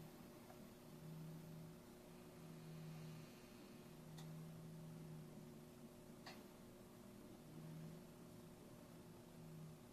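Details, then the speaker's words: Grid-tie inverters on four micro wind turbines (Winmax 400, 600, 1K, Windy Nation 750 PMA) tied into 220 V: quiet electrical hum with sparse sharp relay clicks as the small inverters overvolt and pass power to the larger one; normal operation. "you can hear the inverters clicking little guys are going to overvolt and letting the rest of the power pass to the uh big one case"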